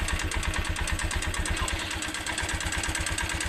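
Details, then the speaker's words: Motorcycle engine idling just after a part was refitted, with a regular tapping knock about three per second from inside the engine; owner unsure of the cause and asks what could be wrong. "Rinig nyo naman siguro mga kaburnek. Yan na. Parang dito siya banda tumuturog mga kaburnek sa loob dito. Sa loob ng makina niya."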